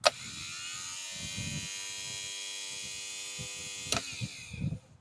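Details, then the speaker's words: Rebuilt starter motor for a Ford Courier that sat 30 years, bench-tested off the truck: fast, steady electric whir with even buzzing hum and a sharp snap as the Bendix drive throws out; starter spins freely. "if you hold it down for a second you should hear that starter just moving fast"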